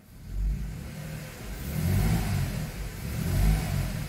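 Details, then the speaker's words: Mercedes-Benz SUV that had codes P0300, P2090 and P0353, running with zero misfire counts and no steering-wheel shake: the engine pulls up through the revs and settles back in even surges, with no stumble or skipping. "sé si alcanzan a sentir que no falla para nada el carro está trabajando"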